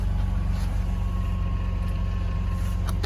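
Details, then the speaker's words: 2004 BMW 330Ci E46 convertible just after fuel pump assembly replacement, started with a jump on a flat battery: low, steady engine hum with even firing pulses and no misses, stumbles or knocks; normal idle. "Okay, so new fuel pump. Got to clear a bit of mess up. Oh, she's fired, running away."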